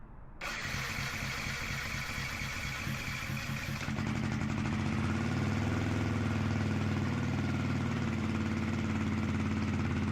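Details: Yamaha motorcycle being rebuilt, on side stand after oil service with 10W-40 and new clutch cable: cranks briefly, catches cleanly and settles to a steady even idle, no knocks or misses, no oil pressure light; normal start and idle.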